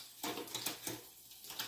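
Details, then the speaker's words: Fuji SL road bike with 12-speed Shimano Ultegra Di2, rear derailleur just adjusted: a few light, crisp shift clicks with no chain rub or grinding. Normal quiet shifting. "And so far it's sounding good. So I think our rear derailleur is totally set up."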